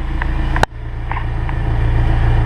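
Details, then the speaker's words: Honda S2000 after replacing the propeller shaft with an OEM unit, in first gear on a lift: smooth low drivetrain hum with one brief click, then an even run with no repeated popping; repair fixed the noise. "hit the gas a little bit see and if y'all can hear that there's no popping here so that's a good thing"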